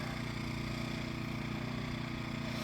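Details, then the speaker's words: Predator 1400 W inverter generator heard from about 20 ft away: low, even engine putter, steady and smooth with no knocks or surging, barely audible; healthy, quiet normal running. "Can barely even hear that thing running."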